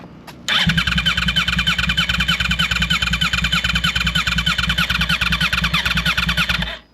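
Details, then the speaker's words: Wrecked 2009 Yamaha R1 bought from Copart, in neutral: the starter spins the engine briskly at about three turns a second with an even rhythm, but it never fires. Crank, no start; the owner suspects the fuel pump wasn't connected. "short ain't going to start I don't know why probably cuz it's a piece of [ __ ] I don't know it's supposed to be shooting flames earlier"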